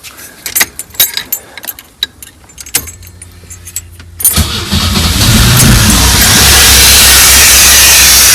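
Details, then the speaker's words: Pontiac Fiero sitting 30 years, first start after fuel pump and tank replacement: starter clicks, then a loud, uneven, ragged run that never smooths, with backfiring; owner suspects vacuum leaks from missing vacuum caps, not confirmed. "look at that working nice working guys little rough but it's working woo well it's not running great but it's running"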